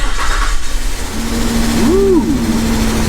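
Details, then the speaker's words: Old Nissan Xterra barn-find SUV after fuel pump/sending assembly work: cranks about a second, catches and settles into a steady, even idle; starts and runs smoothly. "progress we've got a live one folks that is a running old Xterra"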